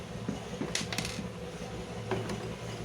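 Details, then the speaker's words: Heat blower fan: light, irregular tick-tick over a steady low motor hum, from the fan's retaining spring on top touching the housing; spring removed as fix. "तो दोस्तों देखने में यही लग रहा है कि ये जो इसका स्प्रिंग लगा हुआ है ऊपर में यह स्प्रिंग बॉडी से टच कर रहा है और यही आवाज कर रहा है"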